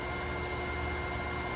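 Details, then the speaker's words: MTA TaeT 051 air-cooled 4.5-ton industrial water chiller after startup, while setpoint is set to 70°F: steady pump motor hum with faint constant whine, no rattles or surging; pump running normally. "Once this indicator goes solid, we can hear the chiller kick on its pump, and we're going to set the temperature here."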